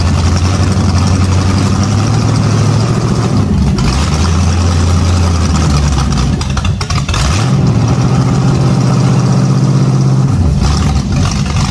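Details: First start of an 010 350 Chev small-block V8 on an engine stand for a period HQ sedan rebuild. It fires and settles into a steady, deep burble with a couple of clean blips. The carby sounds like it runs well; normal start and idle.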